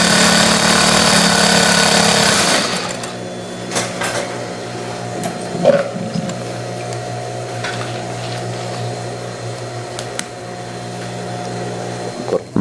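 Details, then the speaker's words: Industrial straight stitch sewing machine test-sewing material after shuttle timing adjustment and thread tension setup: steady whir with quick even needle beat, about four stitches a second, no catching; sewing properly. "Once we have the machine adjusted, proceed to turn it on, place the material, and we will test the stitching."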